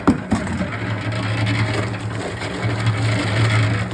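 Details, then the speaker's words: Old electric concrete mixer that hummed but wouldn't self-start until its capacitor was replaced, now mixing a bucket of corn: steady low motor hum under light drum scraping, turning without stalling or straining; normal running. "So I got a capacitor, ordered one off Amazon for like $7 or something, and put it on there, and it works now. It starts right up."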